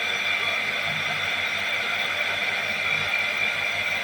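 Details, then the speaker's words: Water pump on a Portuguese quinta, powered up: steady high whir with constant hiss, no knocking or surging, evenly building pressure; no apparent leaks, running normally. "Building up pressure. There it goes. Have you got turn it? Doesn't look like we have any leaks anyway."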